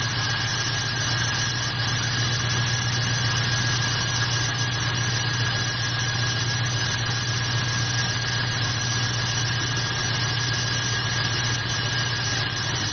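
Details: Jeep with Dodge/Jeep 4.7 V8, worsening fuel mileage; uneven idle lope with periodic stumble over steady whine, cylinder 1 dead, still misfiring after coil swap, owner suspects something deeper than a coil, injectors considered.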